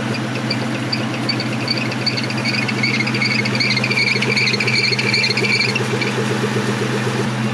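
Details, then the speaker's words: 1997 Ford Mustang SVT Cobra at start-up, owner suspects the alternator pulley or moisture getting onto the engine: sharp high chirping squeal pulsing two to three times a second over a steady idle; belt squeal. "i've been having serious issues with belt squeaking on this car i don't have a pulley slightly misaligned"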